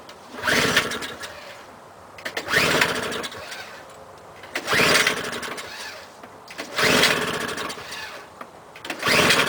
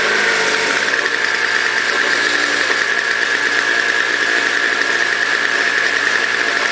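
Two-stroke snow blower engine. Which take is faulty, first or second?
first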